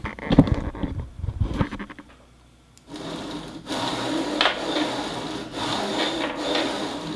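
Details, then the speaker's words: Craigslist Robo R1 3D printer being revived, bed pushed by hand along the Y axis: dry, gritty rasp like sandpaper with every stroke, rising and falling with the motion; worn, rough linear bearings. "this is it basically sounds like it's riding on sandpaper um i don't know what kind of bearings these are but i would have to say in my professional opinion bad"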